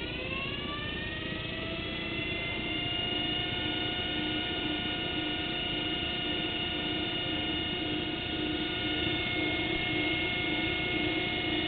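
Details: Chapman 24 V forklift DC motor, reversible, resurfaced brushes, rewired back to normal connection on a partly drained battery, armature probably getting hot: whine climbs then holds clean steady hum, no scraping or rattle; runs healthy.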